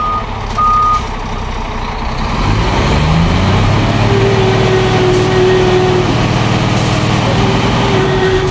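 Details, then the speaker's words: Scania P410 truck at diesel idle: steady repeating cab alarm tone sounding while the inter-wheel differential lock is engaged; stops when inter-wheel lock is switched off. "Nah itu alarm yang bunyi itu alarm interview ya Coba kita matikan nah Inter Wheel alarmnya mati ya"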